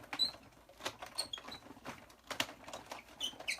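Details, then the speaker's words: Big Shot die-cutting machine cranked through while cutting a card layer: quiet, short, high squeaks come irregularly as the handle turns; squeak, cause unknown, thought not serious. "I think you asked me about your Big Shot squeaking. I would say my Big Shot squeaks too. It's probably not the biggest deal."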